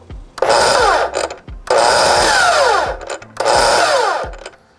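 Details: DeWalt FlexVolt 60V cordless miter saw: three short runs, each spinning up with a coarse, uneven whir and winding down; owner finds the sound an annoyance, other owners say theirs do it too, cause unknown.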